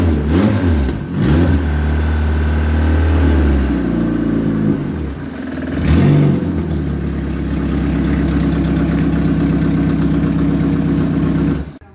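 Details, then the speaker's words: Ex-race Neon four-cylinder on a test stand restarted after a compression test (180/180/175/180 psi) to clean out: catches, blips a couple of times, settles into a smooth even run with no knocks or misses; great oil pressure, healthy. "I'll fire it back up for a second just to make sure it it it gets cleaned up because of all that uh cranking we did"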